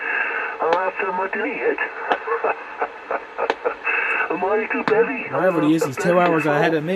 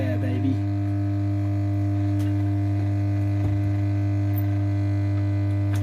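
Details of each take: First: Homebrew 20-meter SSB transceiver on a bench power supply with a wire antenna: garbled sideband voices come through clearly with steady background hiss. Normal SSB reception on 20 m. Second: Pilot radio powered up: loud, steady low mains hum that does not change, drowning everything else; reservoir capacitor suspected open circuit, not confirmed.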